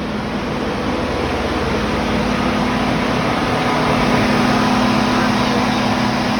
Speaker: Start it up. AC's on. Fans are on low. There they go. They went to high. Just like they're supposed to.